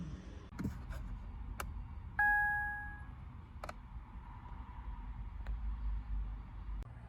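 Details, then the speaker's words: Fiat 500X, key fob battery flat: single two-tone chime over quiet cabin clicks as the start button is pressed, car warning the key is not recognised and will not start; emergency start uses the key itself to press the button. "so normally you would just, to start the car, you'd normally use your finger, press the button, and it would start, but it's telling you that it's not recognised."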